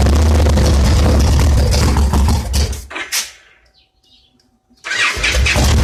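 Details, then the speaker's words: 2002 Victory V92 V-twin that sat outdoors about eight years, apparently weak battery, started with starting fluid; fires and runs with strong, lumpy, even beat, shuts off and restarts cleanly; engine starts and runs. "wow sounds like we got us a winner here folks"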